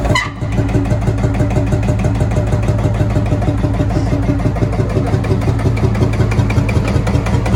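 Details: Field Marshall Series 3A single-cylinder diesel, first start after rebore and oversize piston fitted (a ring had snapped, likely from bore pitting); slow even thump with deep exhaust note, no knocks or misses, sounds better than before.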